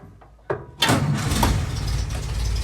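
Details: Willys Jeep restarted after nearly 15 years without running; a couple of clicks and a starter thump, then it catches and settles into a steady rumbling idle; a clean start.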